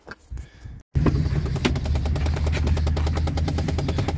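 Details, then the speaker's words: 2010 Chevy Impala in cold weather: steady rapid clicking, about three ticks a second, over low fan hum, coming from behind the glove box; the failing passenger-side blend door actuator, replaced as the fix. "And there's that noise. Definitely Blend Door Actuator. Use your ears, you can hear it coming from inside the glove box as opposed to the driver's side Blend Door Actuator, which is down here."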